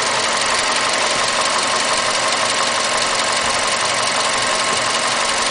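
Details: Mazda 6 MPS petrol engine held at 1500 rpm with a loose, roughly regular knock, about three a second.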